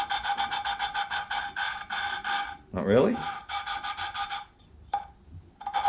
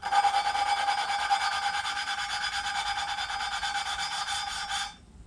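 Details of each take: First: Suzuki SV650 engine rebuild, lapping a front cylinder head inlet valve, GoPro mic: repeated gritty back-and-forth rasping with a squeaky ring, coarse grit still cutting, seat not yet lapped in; tone should go quiet as it cleans up. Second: Suzuki SV650 engine rebuild, lapping a front cylinder head inlet valve seat: back-and-forth strokes about two a second, now fine and smooth instead of gritty, seat nearly lapped clean.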